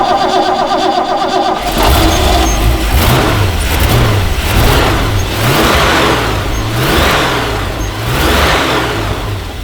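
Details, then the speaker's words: Ford F-350 project truck, sat for years, first start after fixing ground wires: lumpy, uneven surging idle; suspected vacuum leak, fuel smell noted; rough idle. "definitely running a bit rough it sound up the little boy [Music] it sounds like it's got a Vaculik as well"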